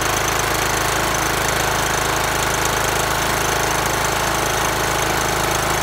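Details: Troy-Bilt mower after finding the starter worked unloaded but failed under load: engine catches and runs steady and even with a strong constant beat, no misses or knocks; healthy.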